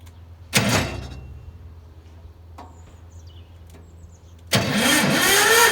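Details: Old Winget one-ton dumper, sat for many years, single-cylinder Lister diesel (model PH1), starter motor retrofitted in place of the crank handle: a short cranking burst dies, then after a pause it cranks hard and noisily, struggling to start on first attempt after storage.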